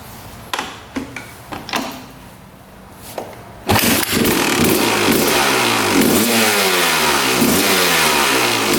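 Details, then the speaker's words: 2001 Honda CR250 two-stroke: a few kicks, fires and revs up and down cleanly to high revs while checking power valve indicator; power valves open fully to H and return to L, working properly. "So the power valves are opening all the way. You can see the line going horizontal with the H as we revved out the engine. So that is in fact working properly."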